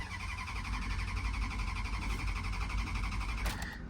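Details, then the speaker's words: Dodge Durango at auction, about 149,000 miles, older small battery, possible water in the coolant: low, uneven, lumpy idle that falters and dies when throttle is touched; rough running, stalls on throttle. "yeah I at this point I'm only trying to start it so you guys can hear it run for a minute but it does not sound too good yeah I touched the gas and it just dies"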